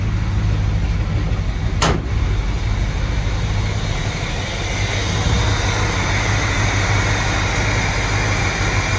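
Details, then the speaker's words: 1970 Chevy C20 V8 truck, low on fuel, steaming: deep, steady idle holding an even beat with no misses, knocks or hunting, one brief click early on; normal idle. "idling and it's steaming"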